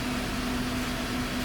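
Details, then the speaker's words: 2019 Chevrolet Silverado 1500 with no power steering, ESC and trailer brake lights; turning the wheel gives a steady low groan as module voltage drops to 7.6 V, charging 12.6 instead of 13.4 V; bad power/ground wiring, not the rack. "i'm gonna turn the steering wheel oh bingo lady there's your problem making grunny noises"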